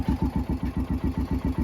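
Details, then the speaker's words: 2011 Kawasaki Mule 610 XC, 1,000 hours, after oil leak repair, before basic service and test drive; steady even idle thump about seven pulses a second, no knocks or misses, sounds good. "sounds good and looks good to me so far."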